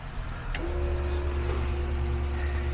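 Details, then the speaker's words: Datsun 240Z after adding a secondary fuse box with relay to take load off the stock fuse box; key turned to ACC: low steady hum and faint whine start and hold even, fuel pump running normally, radio on, fuses not blown. "I hear the fuel pump. Radio kicked on."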